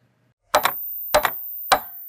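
Three sharp, dry clicks about half a second apart over silence: the ordinary snap of a solenoid valve opening and closing.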